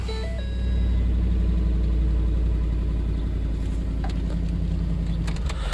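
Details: 2010 Ford F-150, which needs cam phaser/VVT work and has its check engine light on, starting after the chip-key security light stopped flashing: the engine catches and settles into a steady, even low rumble with no misses or knocks. Start and idle are normal.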